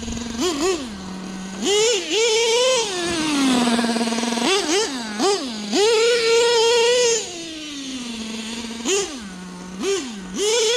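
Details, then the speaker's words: LST nitro RC truck, LRP .32 Spec engine with rebuilt carb still running lean: high-pitched revs burst up and fall back repeatedly, all acceleration, no top speed; owner suspects the early-shifting two-speed, which he can't fix. "This thing is all acceleration with no top speed. But I'm pretty sure that's because I can't fix the 2-speed."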